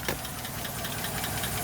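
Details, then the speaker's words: 2010 Chevy Silverado half-ton, 5.3 V8, almost 350,000 miles, with a misfire, while driving: light quick ticking from the front of the engine over steady running; source not pinned down, runs well otherwise. "making a little noise up front there. But it's running pretty good."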